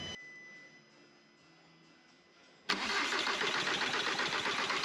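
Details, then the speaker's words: VW Caddy swapped to a BKD diesel engine, first start after wiring work: quiet, then a loud rough diesel clatter as it catches and settles running; normal start. "I think that's a little bit of a result there, isn't it? is running."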